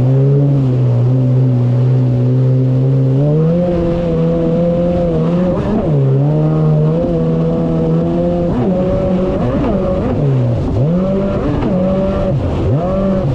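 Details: 2019 Yamaha GP1800R WaveRunner, supercharged 1.8L, test run on the water after supercharger clutch replacement: strong even engine note rising and falling smoothly with throttle, no knocks or rattles; running normally.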